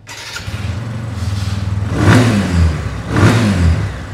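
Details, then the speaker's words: TVS Apache 180 BS6, 22,000 km, after workshop head work including a new head gasket: starts and settles into a smooth, even beat, then two clean throttle blips that rise and fall freely, said to sound like a brand-new bike. Normal running. "एकदम मक्खन एकदम buttering वाला sound है यह देखो आवाज सुनो मतलब भाई नई गाड़ी होती ब्रांड न्यू गाड़ी बिल्कुल सेम डिटो वैसा ही साउंड इसमें निकल के आया है"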